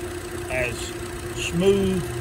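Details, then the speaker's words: 2012 Hyundai Elantra with brand-new overhead-cam 16-valve engine replaced free under Hyundai engine recall, close-up: steady, even idle hum with no knocks or misses; normal, smooth, healthy idle after repair. "That is a overhead valve, 16 valve engine. Overhead cam, 16 valve."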